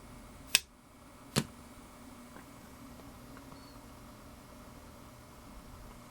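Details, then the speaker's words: Pro audio rebuild with EAW speakers and Crown K2 amps: a drive-rack speaker processor is tested alone for noise, giving two relay clicks at switch-on, then near-dead silence with no hiss or hum; the processor itself is quiet. "pretty much nothing other than the slight click from the relays engaging pretty much dead quiet"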